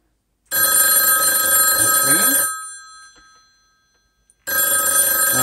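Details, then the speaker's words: Vintage rotary phones on a self-contained 5-line room-to-room telephone exchange intercom; a bright bell rings steadily for about two seconds, quiet for two, then repeats, a clean normal ring cadence after dialing another line. "you'll hear the ringing and then you can have the conversation"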